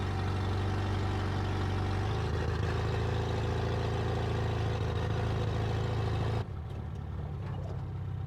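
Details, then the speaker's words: 1973 Toyota Hilux, 18R 2.0L 4-cylinder, first drive after sitting about 20 years: uneven low drone and loping pulse under load, throttle floored, around 30 mph, then it drops off; running rough, cause unclear. "This thing sounds like garbage."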